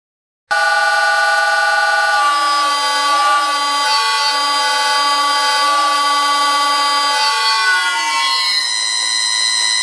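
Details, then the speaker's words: Old lathe motor driven by cheap Chinese NFLixin NF-9000 VFD: loud shrill multi-pitched siren-like whine that wavers and shifts with speed; drive switching noise, likened by viewers to a tornado warning siren. "how do you like that sound according to one viewer it gave him ear cancer and another guy called it a tornado warning siren"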